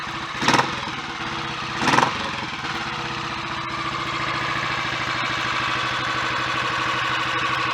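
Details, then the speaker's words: Royal Enfield 500 after head and valve gear refit with Redditch S cams, inlet cam retarded one tooth, 230 main jet, pilot screw being adjusted: throttle blips then steady, even single-cylinder idle thump, no knocks; normal idle. "Well, it sounds good mechanically, but that won't really tell us how it's going to go on the road."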